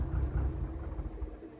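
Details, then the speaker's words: Cosworth car, engine cold just after start-up: low, lumpy idle that surges and sags and cuts out when the accelerator is released; rough cold idle. "we shut the garage door and you hear how lum runs when it's cold if I take your foot off the accelerator po cut out"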